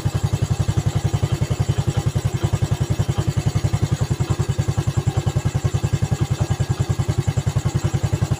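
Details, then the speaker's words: Yamaha Vega ZR single-cylinder after rebuild (valve guide, piston, camshaft work), idle after a throttle blip: loose metallic clatter on each beat from the clutch side; owner suspects worn clutch housing or loose clutch-basket damper rubbers, not confirmed. "Bunyi kemeruyuk di area rumah kopling ini, kayaknya rumah koplingnya sudah oblak. Entah rumah kopling atau mungkin karet kampas gandanya yang udah pada oblak ini."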